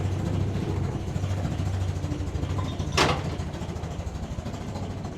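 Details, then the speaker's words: Land Rover Series 2a station wagon, likely Weber carb and possibly old fuel, ticking over to warm up: low uneven chuffing idle like a steam train, exaggerated by exhaust behind the mud flap; mixture running too rich, rough idle. "Oh, yeah. I said to him it sounds like a steam train. It's cuz the exhaust is behind the mud flap."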